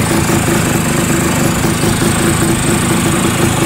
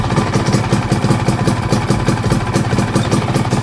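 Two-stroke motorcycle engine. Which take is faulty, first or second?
first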